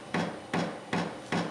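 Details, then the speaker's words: 8 kW Vevor diesel heater starting up cold in a 600 sq ft shop: sharp, even ticks about 2.5 per second over a soft fan hum, normal fuel dosing pump priming, still blowing cold air and speeding up. "hear it Knocking so now must be pumping diesel to it still cold air"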